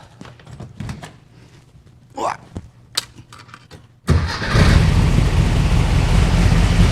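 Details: 1964 VW Beetle air-cooled engine, cold start after a tune-up replacing rockers, carburetor and ignition parts: after some fumbling it catches at once and settles into a steady, even low idle with no misses; healthy.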